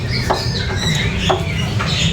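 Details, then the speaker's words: Car front suspension worked by hand after a flood exposure: squeaky rubbery creaks every half second from a dry, rusted stabilizer link joint, the worst source; stabilizer bar checked fine; link still firm, not loose, to be repaired rather than replaced. "Oke, di sini saya udah tahu penyebabnya ada di link stabil. Di sini teman-teman bisa lihat dengar suaranya."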